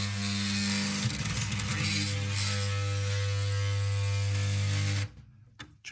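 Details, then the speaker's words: Bambu Lab P1P 3D printer toolhead trying to home: loud low buzzing drone with rough stuttering grind, then cuts out; faulty stepper motor, exact motor not yet identified. "And the problem I'm noticing is the head will just start crazy grinding whenever it tries to move."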